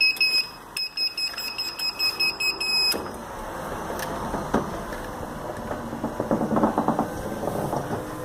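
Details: Gliderol electric garage door that works fine until it closes, then beeps rapidly and its relay clicks. Remote reset, obstruction sensitivity readjusted, limits reset and power cycled, but the fault remains.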